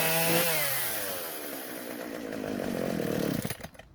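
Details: Husqvarna chainsaw after new carburetor metering diaphragm fitted, before L-screw adjustment; engine screams high, pitch sags as it slows, then stumbles and cuts out: will not idle, L screw needs adjusting.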